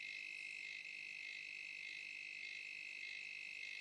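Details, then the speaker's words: Khind ARF-3000 air fryer thermal fuse, multimeter continuity test on blue wire: weak continuity beep breaking into short pulses instead of holding steady; thermal fuse failing. "Okey, so kita boleh dengar bunyi tersebut agak lemah dan juga sangat terputus-putus lah."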